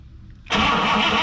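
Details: 1960 Buick LeSabre with a replacement factory 364ci nailhead V8, rebuilt carburetor, temporary fuel tank: starter engages sharply and spins steadily with a rapid even churn, but the engine never catches; crank, no start.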